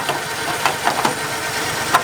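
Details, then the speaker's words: 1950 Plymouth, started only every year or two, after new Econoline plug wires fixed a problem: low, steady, even idle with a few light clicks. A humming is heard, and the water pump or generator is suspected. "Purring like a kitten now. It does, it really does."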